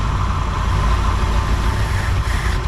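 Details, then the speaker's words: 1959 Ford Thunderbird 352 V8 after 33 years parked, first runs: steady low idle rumble with an occasional uneven beat and hot smell, bad smoke; possibly a slight misfire at idle, carburetor (possibly Carter) due for rebuild. "I already smell something get hot. So Yeah, I smell. yeah. Maybe it's missing a little."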